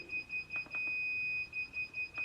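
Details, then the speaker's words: Throttle fault alarm on a Sur Ron Light Bee MX with a KO factory-spec controller, right after a firmware update and before throttle calibration: fast high beeps, then a long tone; display reads "2 acceleration pedal alarm" and the bike won't move. "And my bike is like beeping and making all this annoying sounds. It's very annoying, man. But it says 2 acceleration pedal alarm."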